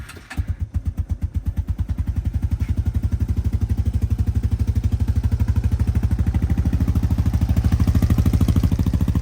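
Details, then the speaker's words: 2000 Arctic Cat 250 ATV (red one), recently serviced, cold start after sitting two days: steady, even low thump about three beats a second, no smoke; healthy low idle. "So there's no smoke coming out of the back. They idle really low, which is nice."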